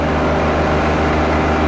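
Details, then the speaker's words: John Deere 1025R compact tractor diesel: the front loader stops about 6 to 8 inches off the ground and the engine holds a heavy, steady drone as it bogs under hydraulic load. "it seems like something is stuck when i raise it from a certain point it stopped right away and you can hear the engine uh struggling when it reached six or eight inches high"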